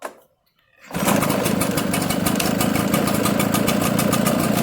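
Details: Echo 770 two-stroke that died after 10 minutes in 100-degree heat, after carburetor replacement, air gap reset to .015, premium fuel with synthetic oil, started with a little choke: catches at once, busy even raspy run; starts and runs cleanly.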